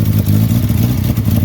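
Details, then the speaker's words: Volkswagen Jetta that had been dumping fuel and shooting flames and sounding like a tractor, running again after its way-off ignition timing was reset; deep, steady low rumble with an even beat, no misfires or popping; normal running. "I fixed it. It's running. Will it idle? Well, I fixed the Jeffrey's car. Somehow, his ignition timing came way out of whack."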